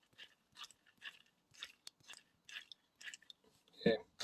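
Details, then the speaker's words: Old bearing from a Hypro water pump spun by hand: irregular gritty crunches in short bursts instead of a smooth roll; worn out, despite heavy greasing, being replaced with a new NSK 5209. "hard to tell i'm sure on the camera but it felt very crunchy"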